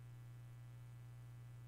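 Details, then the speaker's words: Newly installed microphone with its noise gate switched off: steady low hum at one pitch with nothing above it. Owner suspects the higher gain needed by this mic, not the mic itself. Mains hum, cause unconfirmed. "do you hear that buzzing my other microphone didn't have that buzzing this one does"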